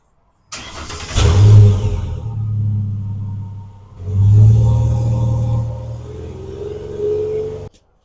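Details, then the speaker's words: 2011 Ford Ranger after replacing rusted muffler and tailpipe with new bolt-on stock-style system; engine catches, revs twice, settles into quiet even idle with mellow exhaust, no rasp or roar, back to factory sound; normal exhaust sound. "Sounds nice. Back to factory sound. No rust."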